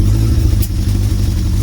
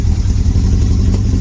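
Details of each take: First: Motorcycle (Suzuki Bandit project) running after first start following storage, air filter removed: steady, even low engine note at a fast idle with no knocks or misses; starts and runs normally. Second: Motorcycle engine not run for a long time, first start with air filter removed, running rough: low, lumpy, uneven idle that stumbles as one cylinder isn't firing yet and keeps trying to come in; cylinder misfire.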